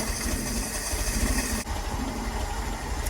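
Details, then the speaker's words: Land Rover Series 2.25 petrol, started after about two weeks unused, during a service: a fairly even, settled cold idle after the choke is backed off. Exhaust just warming, block still cold; normal cold idle. "That's better, nice and quiet now, isn't it? Exhaust is just starting to get some heat. Block's still cold."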